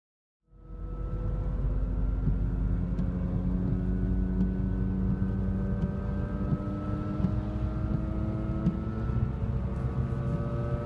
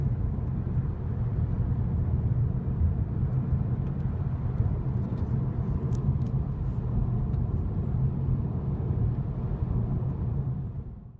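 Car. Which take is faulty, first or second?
first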